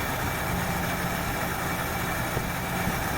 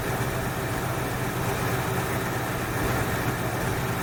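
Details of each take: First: 1968 Ford Fairlane with a flooding carb idles low and slightly uneven, loping and stumbling; running way rich for too long because the choke heat line from the exhaust manifold was hooked up backwards. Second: 1968 Ford Fairlane carbureted V8 after fixing a carb flooding problem, air cleaner off, idle slightly high: fairly steady, low rumble with no stumbling or loping; running evenly and much better than before.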